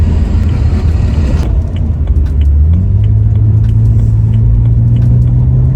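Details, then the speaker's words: BMW E90 328i, N52 inline-six, 335i-style dual-tip exhaust after adding a MagnaFlow performance muffler, on the road: deep, smooth rumble rising with revs, no boomy drone under load where it was worst at 2,000–2,500 rpm; healthy. "Yeah, okay, this sounds a lot better already. The drone has gone down significantly. Yeah, the drone definitely is a lot quieter."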